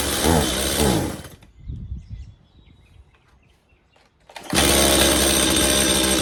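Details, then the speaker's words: Stihl MS180C two-stroke chainsaw, long unused, with new spark plug, started on choke; revs briefly then bogs and shuts off at full throttle, runs high after restart; carburettor diaphragms suspected, fixed later by carb rebuild. "all right so it does start and run uh however once I gave a Full Throttle it would just shut off so almost definite we need to dig into the carburetor and uh put new diaphragms check the screen you know the whole enchilada"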